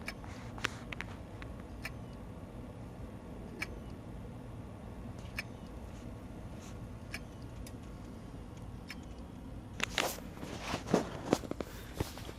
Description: Clicking sound in external hard drive and was not detecting by computer. In this case hard drive was not getting enough power to spin.